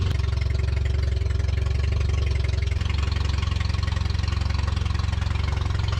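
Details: 1974 Datsun 620 pickup revived after 45 years, carburetor cleaned and tuned with delete kit, alternator not charging, water pump leaking: steady, even low putter about 220 beats a minute, no misses or knocks; clean, healthy idle.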